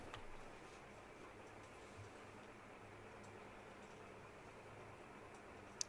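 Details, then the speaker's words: Dell Vostro laptop powering on after fixing a beeping issue tied to a real time clock error: quiet, steady low hum with no warning beeps, normal power-on. "all right and as you can see there's no beeping sound so this is just how easy and simple it is to solve this beeping issue with v through d v through laptop"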